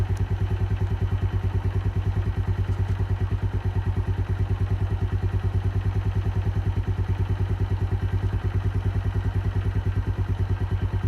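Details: Keeway 125cc with Suzuki GN/GS engine, running after a replaced battery cured the no-start: steady, even thump-thump idle with a regular beat and no knocks or rattles; sounds healthy, normal idle.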